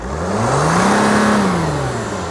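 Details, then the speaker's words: 2012 Mercedes Sprinter 3.0L diesel that loses power and goes into limp mode with the check engine light on: revving gives a breathy rushing hiss at the peak. Boost leak from the intake silencer O-ring/gasket, which needs replacing. "so the the silencer oing or gasket is leaking because when you were revving up the engine I could feel a little bit of air coming out of this"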